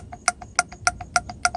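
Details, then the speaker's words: Mercedes rear heater control valve, removed and bench-tested with power probe: powered solenoid ticks crisply and regularly, alternating loud and soft clicks; one solenoid reads zero ohms and the other 6.4, the other one does nothing when powered, so the valve is bad. "the left one works the right one does not"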